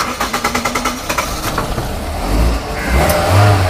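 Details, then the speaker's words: Engine cranks briskly about a second, catches and revs to a steady run after a sudden no-start was fixed by tightening a loose, corroded positive battery terminal; terminal still somewhat loose, cleaning and greasing planned. "Start হয়ে গেছে আমি start বন্ধ করে দিচ্ছি"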